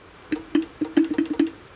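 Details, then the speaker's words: Mitsuba horn from a 1965 Honda S600 on a 12 V bench supply, top cover just refitted during restoration: short bursts of a faint, uneven low buzz, about eight in under two seconds. It seems to pull the magnet down; a sliding piece and spring are suspected. "it's kind of doing it it sounds like it's pulling the magnet down"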